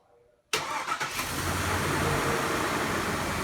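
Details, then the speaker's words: Chevy Trailblazer 5.3L GM V8 fired up after replacing all eight ignition coil packs, done for random misfires and a ticking coil on cylinder 3: quick crank, clean catch, then a steady smooth idle with no stumbling or ticking; normal start and idle. "So everything is now on. Let's go ahead and fire it up and see how it is."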